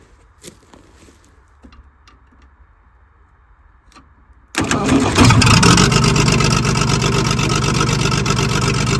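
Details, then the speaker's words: Diesel loading shovel abandoned 18 years cranks and catches at about four beats a second, running rough; a sticking valve hangs slightly open, not hitting the piston but not seating, blowing out the manifold; coolant leaking from a clamp. "yeah you can hear that valve is open it's obviously not a huge amount because it's not colliding with the Piston um but it's enough that it's not seating correctly"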